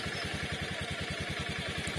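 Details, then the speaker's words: Honda Beat scooter, started after the ignition self-check: a quiet, even putter at about nine beats a second with no knocks or rattles; a smooth, healthy idle. "So kung meron kayong mapapansin mga bro medyo may konting ingay-ingay meron talaga yan kasi umaandar yan eh ' ba gumagalaw yung mga parts"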